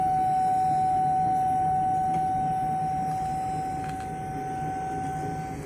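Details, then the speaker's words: Johnson Controls T-8000 pneumatic controller: a clean, steady, high whistle or singing, likely air bleeding past; not considered a serious concern. "for that's the singing controller or the controller that's making a weird noise that doesn't really concern me a whole lot"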